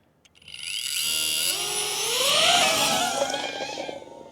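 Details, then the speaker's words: DJI Avata 2 drone after crash repair: high motor whine as props spin up with a brief scratchy catch at start; prop touching heat shrink near the guard edge. Propeller rubbing on guard at spin-up. "it's flying. You could hear it catch when it first started."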